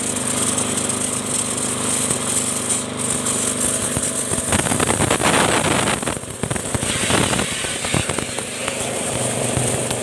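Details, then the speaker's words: Motorbike-wash pressure washer after a spare-part modification to fix a weak, low-pressure spray: a steady petrol engine drone under a strong, hard hiss of spray aimed at the floor. Full pressure, now many times stronger than before. "guys ya kuat sekali searang kita semprot ke lantai guys"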